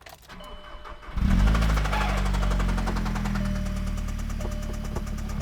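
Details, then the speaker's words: VW Jetta on first start-up after new lifters, a Techtonics 260 camshaft and intake: catches to a fast idle with a light, quick tapping over it. Suspected lifter tick; a 20-minute break-in at about 2,000 rpm follows. "It's a little tappy tappy. Was that too much? Tappy tappy."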